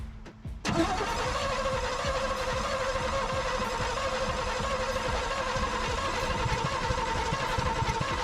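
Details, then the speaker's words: 1955 Chevy with a 283 small-block V8 that sat 37 years in a field, cranked with a new starter. Steady cranking churn for several seconds that never catches; it doesn't seem to be firing, ignition issues suspected, later fixed with cap, rotor and points. "Okay. It doesn't sound like it's firing. We probably got some ignition issues."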